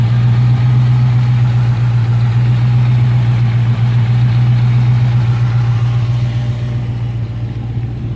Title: Cold start, walk around, misfire at idle - 2006 Dodge Magnum SRT8